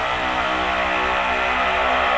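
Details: 19000 series vacuum panel lifter: vacuum button pressed with the tooling lowered onto a panel, giving a steady, even high-pitched pump whine with no surging or rattles; vacuum pump running normally until all four lights come on.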